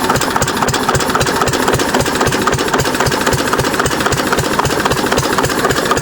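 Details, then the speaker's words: 6 HP Witte single-cylinder diesel, running again after about 30 years following valve work, oil change and fuel system cleaning; slow even beat about two firings per second, no misses or clatter: normal idle. "I'm a little worried about this part when I rev it up. So, I just like to let it uh idle. Just post nice and slow."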